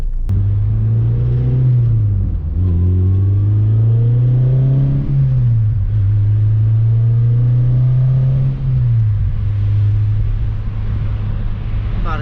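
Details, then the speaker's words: Car driven after fitting a replacement part from Full Race to fix an exhaust leak: deep, smooth engine note climbing and dropping through the gears, no ticking or puffing, much quieter than before; normal exhaust after repair. "it's not loud at all anymore like how it used to be it sounds good like obviously it's not like there's no [ __ ] leak now"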